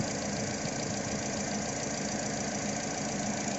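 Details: Toyota Altis: uneven idle with a dull irregular stumble about once a second, also rough acceleration; faulty ignition coil pack dropping a cylinder, rough idle.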